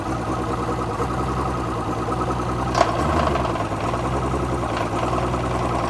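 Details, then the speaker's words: Outboard in forward gear after a lower unit seal service and new water pump. A rough, uneven clatter from the lower unit over the steady run; the propeller hub assembly was found cracked. "well guys I'm sure you heard the clattering on the lower unit that's definitely not right but the good news is it was an easy fix"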